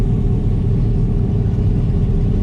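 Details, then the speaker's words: 1969 Camaro with cammed LS swap, warm (coolant 187°F) after 30–40 miles, idling at a red light: deep steady V8 rumble but idle still high, about 1200 rpm. "Idle is still high, about 1200. Everything else looks really good."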